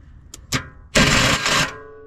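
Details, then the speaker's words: Starter activated manually: two sharp clicks then a harsh metallic grinding burst as the failing starter gear clashes with the flex plate ring gear, which looked okay on inspection but may be chewed; starter to be replaced. "a horrible sound. Very, very bad. So we need a starter, but the flywheel may have gotten chewed up in the process of having a bad starter."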